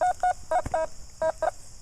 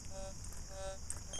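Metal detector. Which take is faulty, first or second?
first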